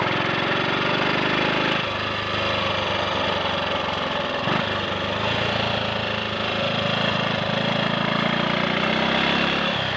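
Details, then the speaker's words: Triumph Sports Cub single-cylinder riding after fuel-tank rust clean-out and protruded-electrode plug: steady even thumping, no misfiring, stuttering or conking out, took full throttle well; slight hesitation between 1/2 and 3/4 throttle, owner suspects crud on the carb needle. "but there was no misfiring, no stuttering, no conking out at full throttle. It took full throttle pretty well actually, so I'm very pleased with that."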